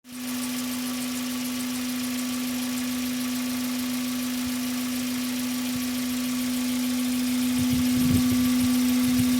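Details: Hyundai Coupé Tuscani engine running: constant mid-pitched drone with a loose, irregular pulse underneath; engine noise of undetermined source (glitches at 0:10 and 0:23 are recording artifacts, not real).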